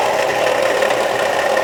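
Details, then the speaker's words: 2003 Chevy Trailblazer: steady idle with fast even rattling knock; shop blamed fan clutch, replaced but noise persists; owner felt it low, source unconfirmed. "uh got a a noise in here sound like a rattling or knocking noise uh took it to Sears Automotive and they said that it was the fan clutch"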